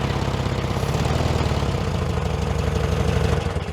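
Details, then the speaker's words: 1966 VW Beetle, first run after over 10 years in a junkyard: a lumpy, uneven, loping idle as one cylinder drops out because its spark plug lead was not plugged on. Once the lead was reconnected it sounded like a proper bug. "oh hang on this one's not even plugged on that morning is that you no that wasn't me it was just wasn't plugged on we'll plug him on see what happens"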